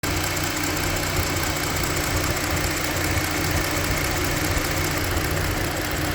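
Steady idle with a light, fast ticking riding on top of the engine note; cause of the tick can't be pinned down.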